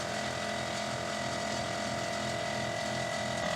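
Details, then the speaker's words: 1969 Chevy Blazer airbag air compressor, rewired, running: a steady whirring motor with a fast rattle, three or four per second. Its rubber mounts have deteriorated from sitting outside, letting it vibrate. "My rubber mounts, this is air compressors, airbag air compressors are always rubber mounted."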